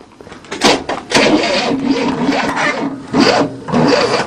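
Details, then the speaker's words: 1967 Cadillac not started in 30 years, timing retarded, fourth try: uneven starter cranking bursts with faint squeak on top, engine never catches; smoking fuel, choke closed, suspected flooded; cranking no start. "Alright, I think you flooded it. We'll stick a screwdriver in it."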